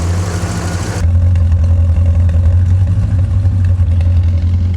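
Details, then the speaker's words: 1985 Chevy Corvette C4 with Hooker Super Competition headers and Super Turbo mufflers; deep, steady V8 burble, even and settled with no knocks or misses, running pretty decent; normal idle. "it sounds like it's running pretty decent right now"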